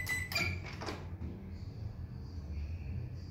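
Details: Philco microwave that would not switch on, after replacing the blown fuse with a new 10 A fuse: a few clinks, then a steady low mains hum with a faint high whine; the oven now runs normally.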